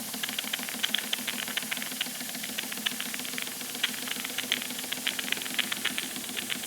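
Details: Wilesco D455 model steam engine, warm after refuelling, safety valve working: quick, even exhaust puffs over steady steam hiss, no knocks or stumbles; normal running.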